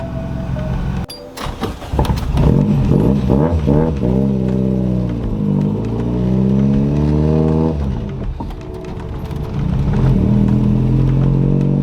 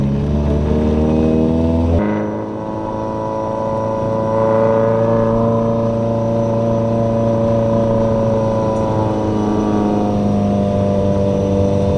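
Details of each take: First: Corolla with a GE engine swap, warmed up, after a clutch adjustment, with an exhaust leak: revs shoot up and hang on throttle without pulling; the clutch is slipping hard under acceleration. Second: Corolla with 4.8 GE swap, clutch slipping earlier, test drive after moving the master cylinder adjustable arm/screw all the way back: a quick rev drop at the shift, then a smooth steady climb under load with no slip; clutch engages properly.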